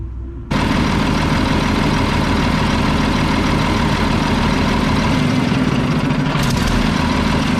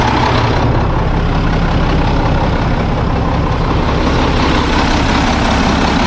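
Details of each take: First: Mack tank truck diesel (believed 1995, 122,000 on odometer): settles into a loud, steady idle with a sharp chuff on each beat from a bad exhaust leak; otherwise sounds good. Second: Old Mack tank truck, probably 1995, 122,000 on odometer, diesel started after sitting: deep even clatter, steady rhythm, no misses or knocks, oil pressure rising; healthy idle despite a bad exhaust leak.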